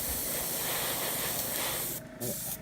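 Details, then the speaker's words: Airbrush spraying with no water catch on the airbrush, only a poorly working one on the compressor: steady spray hiss chokes and sputters near the end; water in the air line. "all right you hear that sputtering I don't have my water kept on my airbrush anymore we're broke I need to get a new one but cage they all get water in there cuz the line I have a water catch on my air compressor itself but whatever reason doesn't work out as well as it should"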